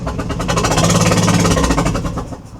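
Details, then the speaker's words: Ford Transit Connect with a misfire after a spark plug broke; running with number 2 plug removed, owner suspects leftover plug ceramic in that cylinder: heavy rhythmic thumping over a low labouring engine note; sounds terrible, engine knocking. "That sounds absolutely terrible."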